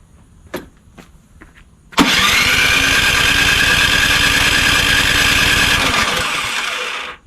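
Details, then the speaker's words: Craftsman snowblower model 247.889571, electric start, oil full and clean, seems to have compression: five seconds of quick, even pull-over with a steady whirr, no catch or firing pops, then it winds down. Cranks but won't start; spark check next. "definitely feels like it has compression so let's see what it does it's got a crack there let's uh actually almost sounds like it wants to go"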